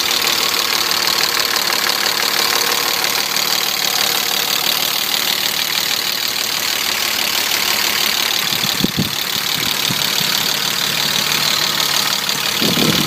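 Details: BMW E34 with M50 engine: busy idle with a light, irregular tapping knock mixed into a hissy top end; knock present, cause unknown.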